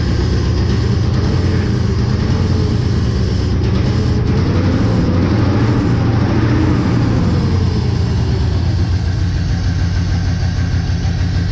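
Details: Chevy engine, first start back in the shop after work, at fast idle: heavy low rumble with an uneven, lumpy beat, kind of sort of running; timing is off, likely a loose distributor; owner also suspects plug wires; not charging.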